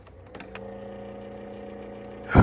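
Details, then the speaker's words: Kawasaki ZX10 not run in a long time, at startup: steady low whir with a faint higher hum for about two seconds before a loud rush; owner suspects headlight fans, source unconfirmed. "What is What is that noise? I don't know. I think that's the fans for the headlights, but that was crazy."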